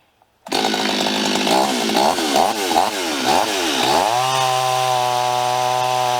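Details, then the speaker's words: Stihl 026 chainsaw with new 18-inch bar and chain, test cuts on a hot day: revs sag repeatedly in wavering dips while cutting, then steady high scream off the wood; saw lazy, worn engine lacking power under load. "come on yeah she's a little lazy"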